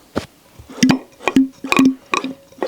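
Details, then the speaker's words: Citroën BX new hydraulic suspension/brake pump turned by hand: rhythmic wet suction squelches about twice a second, no bearing rumble, much quieter than the old pump with a bad needle bearing. "Same pump suction noise, of course, but no bearing noise. At least it's a lot quieter."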